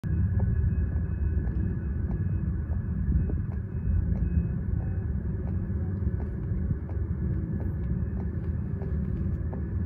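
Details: Viessmann oil-heating flue, long plastic pipe in a 7 m chimney with metal top section, heating up: faint sharp ticks about twice a second over low wind rumble; stick-slip expansion cracking, metal pipe end pressing sideways from installation fault.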